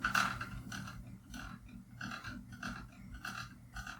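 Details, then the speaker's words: Ceiling fan wobbling at speed: squeak about every 0.6 seconds, once per turn, over a low motor hum; traced to an out-of-balance blade, fixed by balancing it. "so in this video I'm going to try to make this fan stop squeaking it's really noisy I'll cut the video here where you can hear it as it starts"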